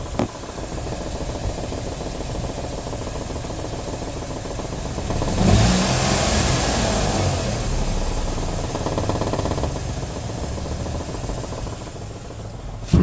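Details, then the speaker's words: Peugeot 208 Style idling: fast, uneven buzzing rattle heard from under the car, felt as vibration at the gear lever. It does not seem to come from the engine when heard from the open bonnet. Cause unknown. "o barulho é tão chato começa agora você sente o barulho aqui ó na alavanca A trepidação tá como se fosse na alavanca"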